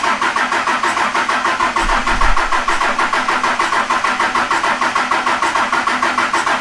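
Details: Cummins diesel swapped into a Jeep YJ, first start; cranks and catches, a touch uneven/choppy for a moment then even pulsing idle with intake air noise; normal idle after start.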